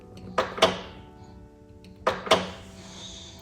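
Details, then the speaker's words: Kia Optima Hybrid (2016-2020) trunk latch that failed after a car wash: two paired sharp clicks, the latch operates but never catches and locks; defective latch to be replaced. "We have an issue with the lock of the vehicle not working. Can you hear it clicking?"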